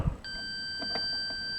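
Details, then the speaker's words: Vortexion WVB vintage reel-to-reel recorder: continuity tracing from the mains IEC plug live pin shows no live until the fuse holder is handled. Then the tester beeps steadily, showing intermittent contact through a faulty fuse holder. "Hear that? It's this damn fuse holder. All right. Now, that's working. All right. I'll have to uh keep an eye on that. Something wrong there."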